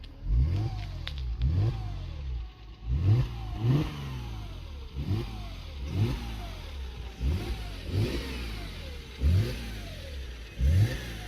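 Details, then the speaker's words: Mercedes E350 3.5 V6 after engine rebuild for knock and smoke: about eight clean revs rising and falling smoothly with no knock or clatter and no smoke; rebuild successful, revving normally. "The engine rebuild was successful and I'm happy with the result. As you can see, no smoke is coming out when the car is revved."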